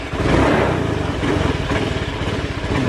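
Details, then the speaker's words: Honda Beat FI injected scooter that looks normal: catches a little throttle then runs rough and uneven, stumbling as if about to die, won't hold idle, idle hunting up and down; fault codes to be checked. "malah kalau kita gas gini kayak mau mati itu biarkan gini nanti mati sendiri kayak gitu"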